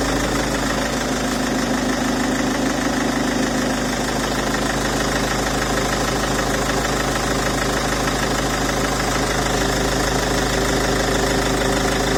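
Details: Peugeot 407 2.0 HDi diesel idling with a steady clatter and a faint knocking beat on top, strange engine noise with no clear cause; abnormal engine noise at idle.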